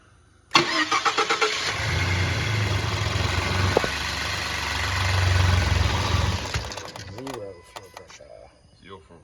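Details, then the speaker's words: 2013 Ford F-150 EcoBoost cranking steadily for several seconds without firing; no fuel pressure, the in-tank low-pressure fuel pump isn't making pressure, so relays, fuse and electrical feed to the pump are checked next; crank no start. "Okay, fuel pump in the tank's not making pressure."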